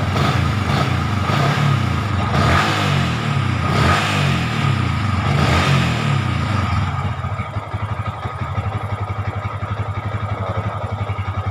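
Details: Yamaha Vixion that would suddenly die or not start, now on a replaced/jumped battery: engine blips up a few times, then settles to a steady, even idle around four beats a second; runs normally.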